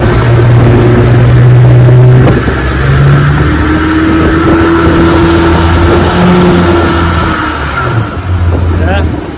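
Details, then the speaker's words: 1961 Evinrude 18 HP outboard on a 14 ft boat, cold morning bayou test run: on takeoff revs flare and hang high while the boat barely moves, worsening with each run; spun propeller hub slipping. "watch this when I take off you hear the motor continuing high RPM but the boat is boat ain't moving"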